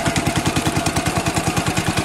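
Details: 1965 Cub Cadet 100 garden tractor, first start in years, after only running a power wire to the coil's positive side: steady, even single-cylinder thump with no misses; running fine.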